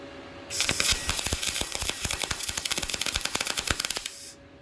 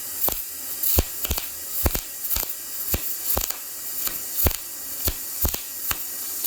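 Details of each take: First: YesWelder MIG-205DS dual-voltage MIG welder turned up to its maximum setting of 24, after inconsistent hit-and-miss arcing at a lower setting; steady, crisp crackle with fast even pops and no sputter, a smooth stable arc. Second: YesWelder MIG-205DS, 0.030 in tip, lower setting: arc catches and drops out in sharp bursts about twice a second over a steady hiss, never settling into an even crackle; unstable arc that improved at max setting 24.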